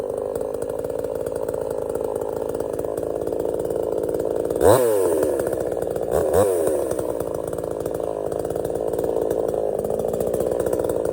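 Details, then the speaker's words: $97 Temu Chinese gas chainsaw cutting a partly rotted but substantial stump: steady high buzz through the cut, pitch dipping briefly twice under load then recovering; cut easily with a couple of stops, healthy. "this is partially rotted, but it's still pretty uh substantial, and it didn't even hardly phase this thing. Had to stop a couple times, but for the most part, it cut right through like a like butter."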